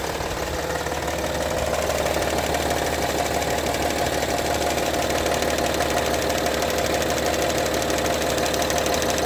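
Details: Honda Pilot engine at idle: a sharp, fairly regular tapping knock about twice a second over the engine hum, coming from inside the engine.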